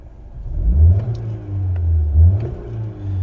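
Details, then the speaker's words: 2009 Ford Fiesta 1.25 Zetec 82ps, 82,000 miles, at idle: quiet even idle with two quick throttle blips rising and dropping cleanly, no rattle or hesitation; engine sounds very smooth and healthy. "same quality is never great on these videos but it does sound very smooth it's uh it's a nice car to be honest"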